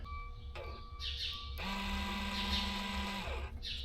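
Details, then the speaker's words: Salford BBI pull-type dry fertilizer spreader valve actuator bench-tested off its harness on a 12 V Milwaukee battery; small motor hums steadily about 1.5 s then stops cleanly, valve works, so fault lies in wiring or Green Star rate controller commands. "Valve turns that direction, so now I should switch my polarity. Valve works, unfortunately."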